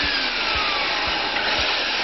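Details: Dustmaster DM series vacuum/dust extractor after motor replacement, test run: loud steady high-pitched airflow roar with faint soft thumps about twice a second; new motor runs smooth and healthy.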